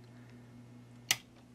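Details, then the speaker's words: GE washing machine motor with burned windings, bench-run from a variac: with its phase-shift capacitor removed it gives a quiet steady mains hum and a single click with no spin-up; the motor is stalled and humming. "see if I take this capacitor off now turn it on again and it's just going to hum it's not going to"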